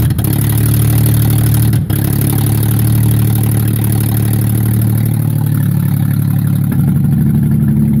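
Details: Mercedes E-Class W210 E240 V6 petrol, 116k miles, running with no exhaust: loud open-pipe rumble with an uneven, stumbling beat and wavering idle; misfire, cause not known.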